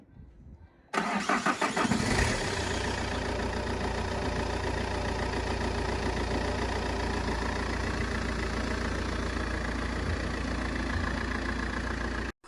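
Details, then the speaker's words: Vauxhall Astra CDTi SRi 150 diesel, first start in six months after new timing belt, new clutch, EGR and swirl flaps blanked, remap: catches at once, smooth steady even idle; healthy. "of course she does sounds sweet as a nut"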